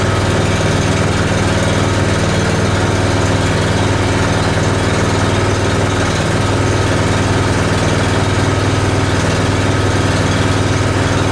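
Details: Honda small engine (6.1 hours on it, battery-equipped) started cold on choke after sitting unused since last spring, on a cold morning; low, even putter at steady idle with no misses, knocks or hunting as it warms, running healthy.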